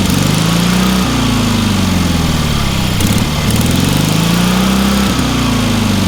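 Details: Small engine on a trailer-mounted man lift, oil full of water and corroded intake: runs strong and steady, pitch dipping slightly under load and recovering, no misses or knocks; sounds healthy.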